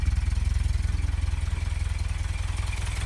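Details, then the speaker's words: 1990 Toyota Pickup 22RE with LCE head, ceramic pistons, first start after rebuild, running two clicks rich on airflow meter, warming up, thermostat apparently not yet open: steady, even low putter about 3.5 pulses/sec, no knocks or misses; idle seems good. "Idle seems to be good."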